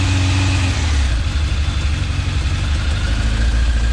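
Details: Restored, rebuilt 1989 Kawasaki ZX10 (ZX10B), first start-up on a little choke: steady even low burble, no misses, knocks or leaks; idling cleanly, may need carb balance later.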